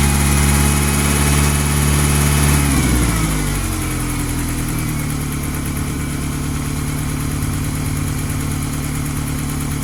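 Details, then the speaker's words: 1995–2001 Ford Ranger 2.5 after timing belt replacement and coolant service: idle raised to push oil to the top end, light quick valvetrain/lifter ticking louder than before the job; sounds a little better with higher idle. Cause suspected, not confirmed. "This one had a slight tick, nothing like this. So I'm going to run the idle up just a little bit to see if I can get some more oil up into the top end of that engine. See if I can get this ticking to quit."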